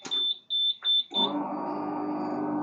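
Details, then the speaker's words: Suzuki V-Strom DL650 being rebuilt with a replacement wiring loom: three shrill high beeps then steady buzzing wail as the armed alarm triggers on connecting the battery; owner must identify the alarm model to disarm it. "I don't know how to turn it on and off. I've got to find out what model it is and see how you can disarm it."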